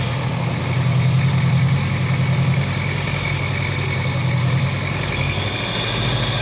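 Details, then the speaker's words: Honda CB 500X idling: busy light tapping from the top end of the engine, caused by a loose breather hose and a loose bolt atop the cylinder head letting mechanical noise escape through the breather hole. "então por que que ela faz esse barulho aí parece como estivesse batendo a parte de cima e fazendo barulho da parte de cima é justamente porque todo o som do funcionamento do motor ele tá saindo pelo buraco do respiro aí"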